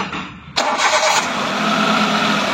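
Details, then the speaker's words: Hyundai Eon after repair of low pickup and misfire, with new Continental fan and AC belts fitted: brief crank catches cleanly within half a second, settles into steady even idle, no knocks or squeal; normal start. "তো ভাই আছা engine start হৈ গৈছে ঠিক আছে"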